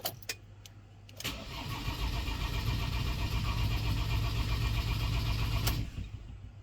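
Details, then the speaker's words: Ford Transit diesel cranked with crank angle sensor unplugged so injectors are disabled: steady fast whirring crank about four beats a second, no firing, building oil pressure until the oil pressure light goes off. "start the vehicle or rather we'll just be cranking the vehicle so what you ideally want to do is you want to monitor it so that's your oil pressure light there you want to just crank it till that oil pressure light goes off"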